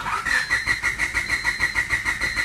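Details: 1996 Honda Civic: even starter cranking at about six pulses a second with a whirring motor whine, but the engine never catches. Crank, no start; fuel and ignition systems are to be checked, cause not confirmed.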